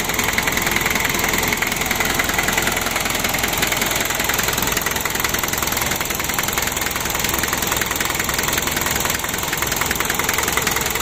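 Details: 1987 Taft GT jeep diesel engine, freshly rebuilt, first start with fuel bled, filters replaced and glow plugs checked: steady even clatter, no misses or knocking; normal warm-up idle.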